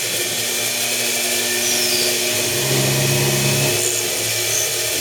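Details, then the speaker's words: Old 1/8 in two-flute end mill plunging holes in an RWL34 steel knife blade in place of broken drill bits: even high-pitched cutting hiss over steady spindle hum, no chatter or squeal; plunge goes cleanly. "yeah it sounds fine"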